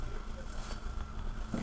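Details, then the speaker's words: 2017 Hyundai i20 brought in for misfiring, random stalling and poor mileage, after repair: steady low idle with even beat, no stumbles, no missing heard at the rear silencer; previous whispering noise at engine gone, wiring fixed; normal idle. "यहां से तो यह बिल्कुल okay हो चुका है बिल्कुल proper कभी देख सकते हो पीछे साइलेंसर में कोई आवाज नहीं कोई मिसिंग नहीं"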